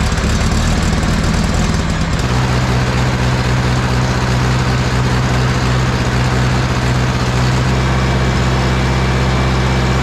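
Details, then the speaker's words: Warmed-up John Deere 1010 diesel tractor after an engine rebuild idles loudly with an uneven, sputtering beat that occasionally drops a firing; the miss smooths out as the injection pump is adjusted. "so you might be able to hear the engine is kind of sputtering right now almost like it's missing occasionally and as I work on this pump that goes away"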